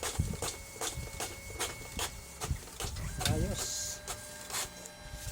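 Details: Brother DCP-T420w printer feeding paper after the gear noise fix: steady run of soft clunks roughly every half second with a mechanism whirr as paper pulls through; the feed sounds normal.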